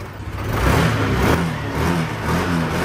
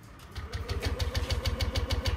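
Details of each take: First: Yamaha NMAX V2 scooter that only cranked without starting for two months, now fixed: catches, builds smoothly and holds a clean rising rev with no sputter or misfire. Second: Yamaha NMAX V2 scooter cranking at about 6.5 beats per second but never firing; fuel pump silent, key indicator blinking, immobilizer receiver disconnected from the ECU, after earlier dealer repairs and Error 1.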